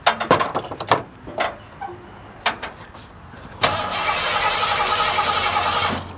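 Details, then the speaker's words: 1986 Ford F-150, well-maintained: starter spins steadily with no firing after coil wire refitted; crank no start, no spark, distributor pickup judged failed. "well I think that pickup is just gone so if I was a bed man I'd have lost that bit because nine out of 10 times when you do that and you throw that cool back on there boom it starts right up"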